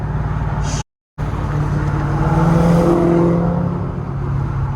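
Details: BMW M3 a week after throttle actuator replacement, on the freeway at about 50% throttle yet only reaching 35, SES light on: engine drone drops out abruptly then surges back unevenly, jolting; cutting out from a failed alternator.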